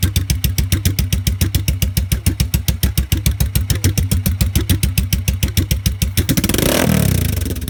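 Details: 1986 Yamaha XV750 Virago twin with debaffled straight pipes, after fitting DIY lollipop baffles: sharp even exhaust pulses at a lumpy idle, then a smooth throttle blip; fires cleanly and runs healthy.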